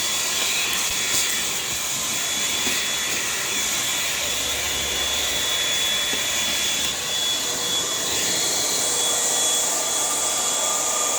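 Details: Hoover WindTunnel High Performance upright vacuum running after repair while vacuuming a living room: an even, high-pitched rushing whine with no surging, rattling or grinding; normal healthy motor.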